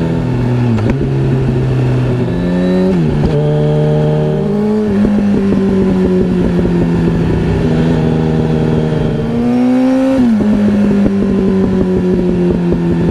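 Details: Yamaha R1 with exhaust flames: sharp revs rise and fall with loud cracks and pops as throttle closes, backfiring on overrun; owner thinks it runs lean and considers a remap, cause unconfirmed.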